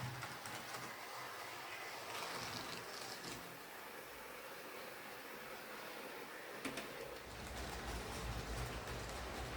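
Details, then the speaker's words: Hornby R2857 Class 5MT Black 5 model locomotive after repairing wiring, pickups, drawbar and re-greasing gears, running on layout: soft even rolling hum, no stutter — smooth, stable normal running. "nice running locomotive in the end though uh it seems to be pretty smooth and stable"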